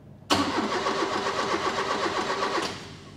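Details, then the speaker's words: Restored Mk1 Ford Escort 4-door with Pinto engine, first start attempt after ground-up restoration: starter spins evenly about four turns a second for two seconds but never catches; cranks without firing, no start. "so give it a crack oh why not wow and we need to give it a couple of kicks not going isn't it"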